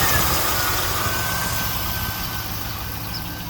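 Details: 2001 SS, LS1 V8, manual transmission, 109k original miles, engine never opened, has always sounded this way; steady idle with fast light ticking on top, owner unsure if lifter noise or normal sewing-machine valvetrain; valvetrain ticking at idle.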